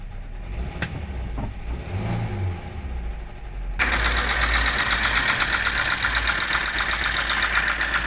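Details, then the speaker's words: 2009 Toyota Avanza with the oil warning light staying on: it idles, then turns loud and harsh with a rapid, uneven clatter; rough-running engine, with an engine overhaul suggested. "Pada kesempatan kali ini saya akan berbagi proses diagnosa dan perbaikan Toyota Avanza 2009 ini dengan kendala indikator oli menyala terus kemudian suara mesin kasar ya kita coba hidupkan mesin Iya olinya menyala kemudian bunyi mesinnya seperti ini"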